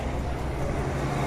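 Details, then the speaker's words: 1975 Chevy C10 short-bed with 350 small-block V8, long-sitting and run on a temporary fuel line and funnel: low, steady V8 idle rumble with no tick or tapping; valvetrain quiet and healthy. "I ain't cut off yet. Man, you don't hear no tick, no tapping, no nothing."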